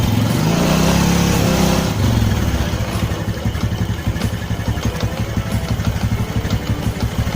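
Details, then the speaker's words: Carbureted Honda Karisma motorcycle that sputters, won't idle, fuel smells unburnt: throttle blips then lumpy stumbling idle that never settles; rich mixture from leaking fuel tap diaphragm. "The language smells terrible, so it's like petrol doesn't burn at all, friends, and listen to this for yourself, bro , so this isn't fake"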